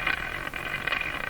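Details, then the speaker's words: Canadian Westinghouse Model 684 tube radio after its last three wax capacitors were replaced, with the second IF transformer jumpered: a high heterodyne whistle over a rapid putt-putt throb from the speaker; squealing and motorboating, possibly because of the jumpered IF transformer. "Lots of squealy sounds. So now that sound is an effect coming from the radio itself. Motorboating."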